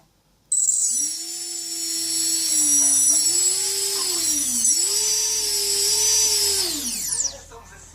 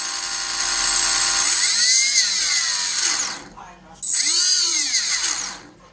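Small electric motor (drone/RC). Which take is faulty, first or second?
second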